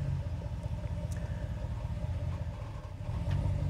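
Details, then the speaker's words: Ram truck shifting into reverse after the clunk fix, done with the rear axle locked and throttle applied: low steady engine rumble with no bang or clunk; the transmission now engages smoothly. "as you can here transmission is super smooth now"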